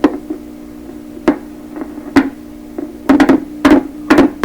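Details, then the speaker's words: 1928 RCA Victor Model 28V radio under troubleshooting, touched during testing: sharp, irregular pops and crackles in clusters over a steady low hum that grows louder; intermittent crackle, possibly something shorting, source still unknown. "Can you hear that? I don't know if you can hear that on the video, but I touch it, the hum gets a little louder, and then actually just, it's doing all kinds of stuff."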